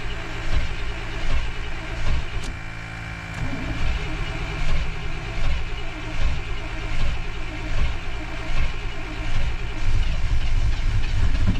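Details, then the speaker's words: 1992 Chevy Blazer that sat 12–15 years, first start: low, lumpy idle with uneven surges and sags; rough running, owner suspects plugged exhaust or popped muffler. "Well, she runs. Here she is, boys. She runs. I think the muffler's popped."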